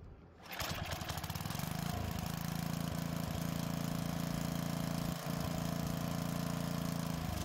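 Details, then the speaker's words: Edger with Tecumseh small engine, sat with old fuel, won't start on full choke; air filter off, brake cleaner sprayed into the carburetor throat: pull-start catches to a steady buzz but dies when choke opens; fuel system issue. "the engine starts this way but as soon as you try to open the choke the engine shuts down so we know the issue is with the fuel system"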